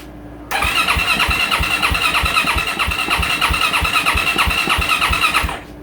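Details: 2024 Yamaha YZ450F, won't start, battery charger connected: steady, even starter cranking about three strokes per second for five seconds with no firing; no spark from a failed crankshaft position sensor, warning light blinking after.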